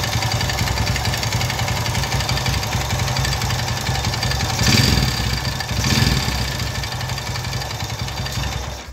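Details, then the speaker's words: 2004 Honda Tiger bored to 270cc (70 mm stroke, 70 mm bore) with a noisy-engine complaint: loud, rough clattering idle that swells harshly on throttle blips. Teardown found a worn crankshaft bearing. "Hai jalur Honda Tiger 2004 langkah 70 seharusnya 70 keluhannya berisik kita dengarkan suara mesinnya"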